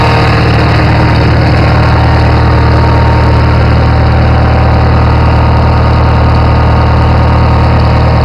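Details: Farmall 450 tractor engine: heavy chugging with a steady low thump about four times a second from worn internals; engine knock, rebuild needed.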